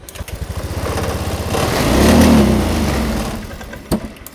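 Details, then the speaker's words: Honda Scoopy 2017–2018 fuel-injected scooter, fuel pump pressure 40, injector-type plug fitted: throttle snapped open, revs swell about a second then engine dies; stalls on throttle. "Oke, kita langsung gas kontan. Tetap mati ya, tetap mati."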